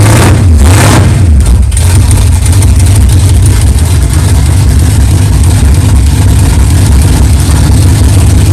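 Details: 1964 Chevelle 383 stroker V8, first fire-up after 8-month build, fresh power steering pump and carburetor, 11° timing, 63 lb oil pressure: quick throttle blips then firm even lumpy idle, no clanging or knocking; runs good.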